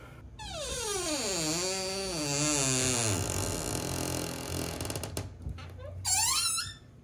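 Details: Door hinge before lubrication with silicone spray: loud, drawn-out squeal swooping down and up in pitch as the door swings; dry squeaking hinge.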